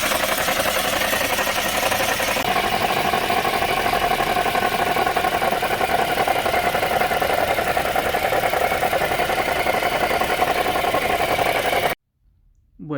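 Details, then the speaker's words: Chevrolet Sonic engine running with constant whirring tone and uneven tick; source found with a hose used as stethoscope, noise was only the alternator (bearing). "yo usé la manguera y así es como yo logré encontrar el sonido del carro y al final solamente era el alternador"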